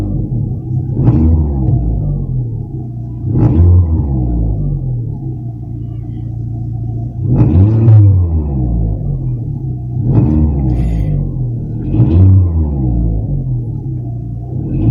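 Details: Seat Ibiza 1.4 MPI (BXW) after cleaning oil pickup screen and sump: repeated throttle blips rise and fall cleanly with no top-end ticking; hydraulic lifters quiet.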